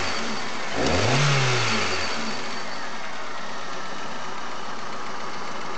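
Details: Chery Amulet: sharp revving from idle brings out a knock on the quick rise in revs. Excess vibration at idle is also reported, and when warm at idle the oil pressure light sometimes comes on; cause unknown.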